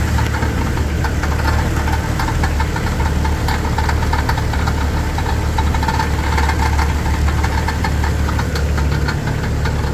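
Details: Jeep Wrangler TJ idling steadily with a fast, loose metallic rattle on top; cause not yet identified.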